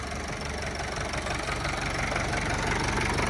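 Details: Kubota M9000SU tractor with a 90 hp factory-turbo four-cylinder diesel, started without preheating. Even idle clatter at steady speed, very quiet and smooth with no smoke; normal idle.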